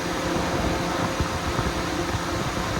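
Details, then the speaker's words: Mitsubishi Lancer radiator fan running with the ignition off, giving a steady whoosh and hum with the engine not running. The fan comes on whenever the key is inserted; the thermo/temperature sensors were already checked and a faulty fan switch is the cause. "There you go, see how it just runs. Even with the key off, it's still running."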